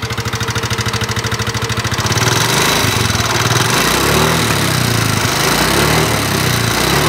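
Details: Yamaha NMAX scooter, 2019: rough rapid ticking knock at idle, harsher as revs rise. Mechanic first suspected loose valve clearance, then found a worn, loose connecting rod; check is preliminary.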